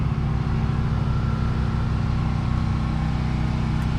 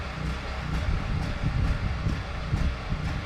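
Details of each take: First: Duromax generator already running air conditioner and refrigerator, with microwave idle, as the well pump is switched on: steady drone dips and labours as the pump starts ("made it grunt"), then holds speed and carries the load without stalling. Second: Duromax generator heard from the property line, grunting as it runs out of gas: low drone pulses and stumbles about twice a second, the uneven hunting of an engine running its carburettor dry.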